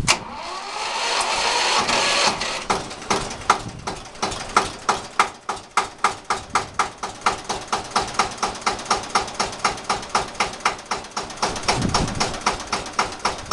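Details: Bautz AS 122 diesel tractor, second start of the season on a fairly new Bosch battery, throttle fully open, decompression lever pressed, in neutral: starter grinds about two seconds, then it catches and settles into a steady, even beat of about four per second; normal cold start.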